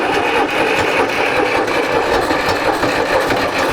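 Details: John Deere 820 three-cylinder diesel tractor, started after sitting: steady even diesel clatter at idle, no misses or knocks until shutdown; running normally.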